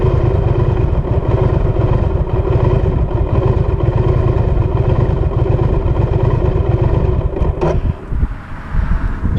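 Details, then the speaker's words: 2019 Triumph Speed Twin twin-cylinder at idle: idle speed drops steadily, roughens, stumbles and stalls; over-two-year-old bad battery confirmed as cause, cured by new OEM battery; idle sagging to stall. "sometimes i would just be idling and the idle speed would drop and drop and drop and drop and drop until the bike stalled out here's an example of that happening"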